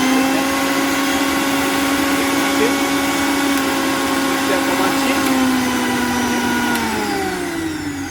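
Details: Usha mixer grinder, 230 V AC, after bush repair: smooth, steady high motor whine at even pitch that winds down cleanly when switched off; normal motor run.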